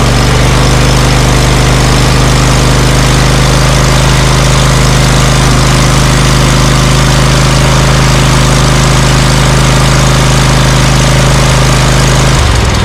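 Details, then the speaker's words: Scag Cheetah mower with Briggs & Stratton Intek V-twin, previously misfiring on one cylinder, after fitting a cheap Amazon replacement carburetor for 791230, choke set, slightly raised throttle; deep even regular beat, no misses or popping; misfire gone. "Well, I think I'm going to go out for a test run and see how this does, because that doesn't sound too bad. But I have a better idea. At least I got rid of that, you know, that horrible misfire and the poop I was getting."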